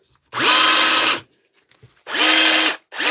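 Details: Dewalt DCH273 SDS rotary hammer drill in for repair, running in short free-running bursts: a harsh, gritty whine that dips in pitch at spin-up; something inside the hammer is grinding.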